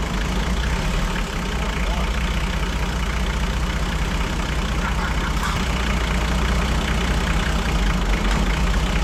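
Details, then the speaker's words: Toyota 2H diesel from an HJ47 wreck, after being brought back to life; deep, steady, low idle thrum with no knocks, misses or hunting; healthy. "well we worked it out didn't we we did and we said it would run and it has"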